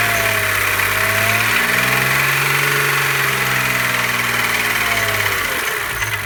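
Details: BMW E36 M3 3.0 S50B30, heard both warm and cold, began after a restart: fast light ticking keeping time with the engine over a strong idle as revs drift. Seems to come from beside the oil filter; cause unknown.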